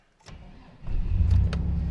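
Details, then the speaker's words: 2002 Chevy S-10 Xtreme, automatic, first start after seven months sitting: brief starter whir, catches almost at once and settles into a steady, even idle; healthy start. "holy smokes what do you think about that first start up in God so it's been seven months since this thing started and it popped right off sounds good"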